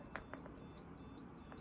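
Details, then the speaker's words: PC at power-on with one screen connected: a few short, high beeps over quiet room hum that it doesn't usually make, with no picture on the screens; a startup fault of unknown cause. "when i turn my pc on if we just give it a quicker video you'll hear this thing make a beeping sound that it doesn't usually make"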